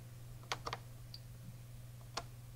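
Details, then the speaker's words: Tandy PC-1 / Sharp PC-1211 refurbished printer/cassette interface, remote relay manually triggered, heard close up: a few faint, crisp clicks over a low steady hum as the small relay pulls in and releases normally. "you might have just been able to hear that little relay inside clicking so we've got everything working"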